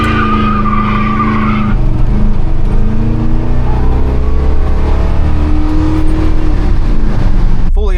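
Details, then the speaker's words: 1985 Chevy C10 cammed V8, new Holley 4160 600 CFM electric-choke carb, at operating temperature with choke open: steady deep even rumble, no misses or knocks, purring; carb tuned warm, runs great warm, normal warm idle. "And she's just purring. So, the reason this engine runs so good only after it's warmed up is because I already tuned this carb one time, but I waited to do so until the motor was completely up to operating temp and the choke was open."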